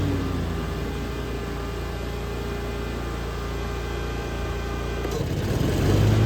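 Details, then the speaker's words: Hustler Fasttrack SDX mower with what are thought to be Oregon high-lift mulching blades, engaging the blades for a comparison with and without X-blades: steady drone, then around five seconds the load comes on, the engine dips briefly and holds smooth; normal engagement. "next I'm going to do a quick thing is starting the blades on the machine so you can hear what it sounds like when it kicks in without the X blades and the difference how much strain it puts on uh with the X blades on"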